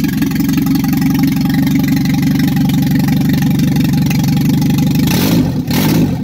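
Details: Triumph Spitfire MK3, first engine start after a complete rebuild: catches and settles into a firm, even idle with a brief blip of revs. No knocks or ticks; sounds healthy.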